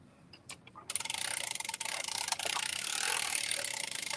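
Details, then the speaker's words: Knitting machine ribbing with ribber needles: fast run of light crisp clicks, three or four a second, as the carriage passes; latch needles closing in normal sequence, no dropped stitches or catching. "guess what anybody ever hear the clicking sound of an air blocker believe it or not that's the same order that the latch is closed"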